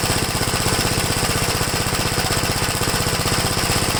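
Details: 1969 Gravely LI tractor single-cylinder engine once warm: chugging about four beats a second, uneven and loping, running rough; cause suspected, not confirmed.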